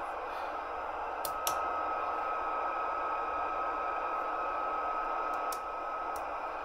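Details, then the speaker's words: Galaxy DX959 CB radio receiving no signal, with a steady hiss, a thin tone and crackles; high background static and buzzing suspected to come from a nearby power transformer that acts up in the afternoons, not confirmed. "i do have a transformer in my area so you'll notice the static level is a little high"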